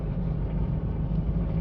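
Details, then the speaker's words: Diesel Mitsubishi Pajero automatic in normal D (drive) pulling away: smooth, steady low diesel rumble, gears changing easily with no high-rpm whine, flare or clunk; healthy drivetrain. "गाड़ी गियर आराम से चेंज कर रही है और गाड़ी की आरपीएम पे हाई की आवाज़ नहीं आ रही।"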